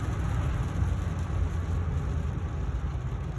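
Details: 2015 Ford F350 on a test drive after replacing the front wheel hub bearings, pads and rotors: steady low road rumble with no humming, growling or rhythmic grinding, no vibration in the wheel; normal wheel bearings.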